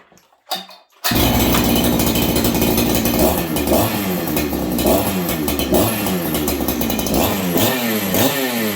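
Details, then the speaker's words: Freshly built ported Husqvarna 288XP clone saw on first run, Farmertec carb refitted, low jet just richened after a funky restart: catches after a couple of pulls, revs with a slight stumble off idle; slightly lean bog, expected to richen as rings seat. "you guys can hear that bog it's a little lead um and again as the ring seed in that this thing should get a little bit Rich"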